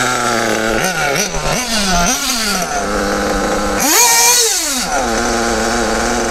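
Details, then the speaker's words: Kyosho RB One (Bug TT8) nitro RC buggy with RB engine, static tuning after reopening the needle from a lean cutout. The small engine revs up and drops back cleanly without cutting, so the mixture is properly set before driving. "Voilà. Donc là, on est arrivé à un moment où le moteur prend ses tours de toute façon tranche."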